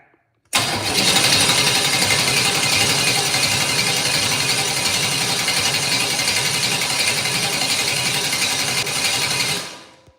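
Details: Engine with Holley Sniper 2, cranked to check oil pressure: steady, even starter cranking at about four turns a second, no firing or catches; healthy crank, good oil pressure of 60 lb.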